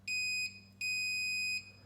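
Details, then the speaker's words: Multimeter continuity test of a fuse from the recovered missing fuse holder on a 20-year-old Watchdog-branded Generac 15,000 W standby generator. Two clean, steady beeps show continuity, so this fuse is good; it is not the blown 15 A fuse. "Multimeter set to test continuity. So, when we have a circuit, we get that tone."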